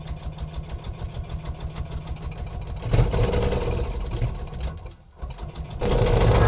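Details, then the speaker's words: Scootacar after repairing and modifying its exhaust, started after battery change: small single chugs unevenly about 2.5 beats per second, loud and raspy from the open modified exhaust, oil leaking; loud modified exhaust needing tightening. "it's um as you know I've put that uh modified exhaust louder than ever so I think it'll be a case of having to tighten a few things up"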